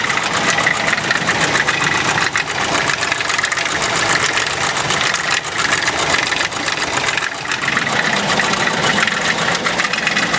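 Engine idles rough and loud with a fast, steady knocking running through it; a knock is there but the cause isn't clear.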